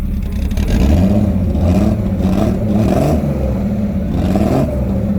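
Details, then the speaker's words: Drift car turbo engine running rough before a forged rebuild: low, uneven, lumpy note swelling and falling as revved; water came out of the exhaust manifold, owner suspects a blown head gasket or rings. "We have a messed up head gasket or rings or something. She's done."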